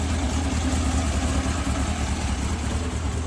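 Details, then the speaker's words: 1967 VW Bug with a Holley Bug Spray flat-four, first start after the build: deep, steady low thrum with an even beat and no knocks or rattles. It idles smoothly and sounds healthy. "so I got the bud spray motor running sounds good"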